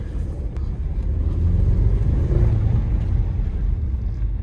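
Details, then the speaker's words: Salvage-auction 2008 Audi A4 2.0T Quattro, 6-speed manual, check engine light on, fuel over four months old, driven under load: deep, uneven, lumpy rumble and stumble from a misfire on one cylinder. "oh yeah listen to that that was for sure a misfire"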